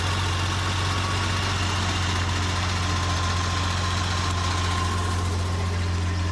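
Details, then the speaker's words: BMW E30 with new SPEC stage 3 clutch and new, properly tensioned alternator belt, cold, after running hot when the old belt failed and now blowing a little smoke: steady even idle with no squeal or chirp; normal idle. "but she sounds a lot better with this new belt on with it tension properly sounds really good"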